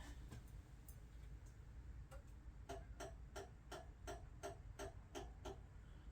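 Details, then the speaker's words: Code 3 emergency light bar, white lights on the back side: sharp dry ticks, roughly three a second and slightly uneven, over a quiet hum; abnormal ticking, owner suspects something tripping like a circuit breaker, unconfirmed. "It doesn't sound right. We're gonna have to investigate that."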